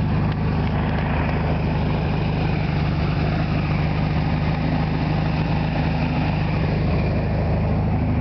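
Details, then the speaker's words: 1973 VW Super Beetle, rebuilt original 1600cc engine with about 150 miles, carburetor cleaned and idle adjusted (about 800 rpm warm): cold start without pumping the gas; it fires right up into a smooth, steady, low putter. Normal idle. "shift now go ahead and start it let you guys listen to it fires right up"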